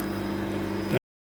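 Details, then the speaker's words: 2007 Nissan Wingroad WEY11 QG15 at key-on after the fuel pump connector was replaced and heat-shrunk; steady even electric hum for about a second then clean cutoff, the fuel pump priming normally. "So you will hear the pump prime. Right, so we hear the fuel pump."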